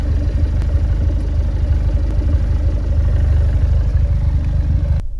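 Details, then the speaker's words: Fiat 124 Spider 1.4L MultiAir Turbo, being checked for a camshaft issue, idling warm at 750–770 rpm after a plug was re-gapped, in cooler temperatures: even exhaust pulses, no drops, zero misfires on the laptop; a smooth, healthy idle. "home Idol smooth it's idling at 760. looking at the laptop right now misfizer zero and I can tell the exhaust note is smooth I'm gonna roll down the left window yeah that is smooth"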